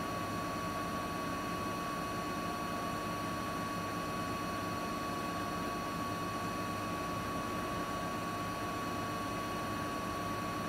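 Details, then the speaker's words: Siemens iQ300 8 kg front-loader spinning at about 1000 rpm: steady, even roar with a clean high whine and no knocking; normal, no fault. "Makinemiz şu an ortalama 1000 devirde sıkma yapıyor arkadaşlar. Bu makinede hiçbir şekilde herhangi bir sorun veya arıza yok."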